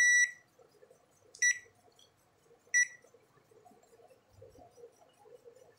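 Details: Automatic washing machine control PCB after replacing a faulty start button that stopped the whole board working: three short clean high beeps about 1.5 seconds apart; board powers up and responds normally.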